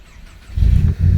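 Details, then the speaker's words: Audi A3 8P 1.8 TSI after timing chain job and injector replacement (one was stuck open), parked up about a year; idles roughly, stumbling and dipping; misfire, fouled or failed spark plugs suspected. "But it's had a misfire, and I've not looked at it since that work's been done."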